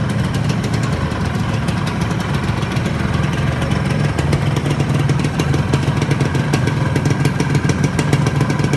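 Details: Yamaha RXZ two-stroke, being tuned after an overhaul: busy crackling idle with a fast steady beat, no knocking or rising whine; normal running after the rebuild.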